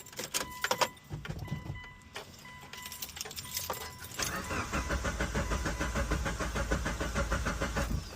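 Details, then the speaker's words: 600whp Mitsubishi Evo 8 with a new Haltech ECU and a wire that had come off: clicks, then steady starter churning about two beats a second that never catches; crank, no start; owner first suspected flooding, cause unknown. "Yeah, so no start."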